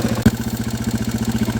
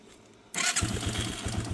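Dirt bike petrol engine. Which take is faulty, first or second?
second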